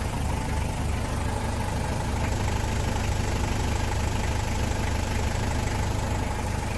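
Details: Toyota Land Cruiser 1KZ diesel at steady idle with an even knock, roughly three per second, over the low rumble; knock clear, source not identified in this clip.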